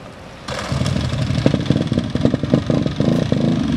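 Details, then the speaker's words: Honda CRF150R four-stroke dirt bike, first start after a head rebuild for a broken valve, on choke: it catches after half a second, then runs ragged with loose, irregular clatter and surges. It sounds clanky and only runs at heavy throttle; cause unknown. "It's running, guys. Oh my gosh. Dude, it ran. Sounds pretty clanky. And it only runs when you put the throttle like crazy."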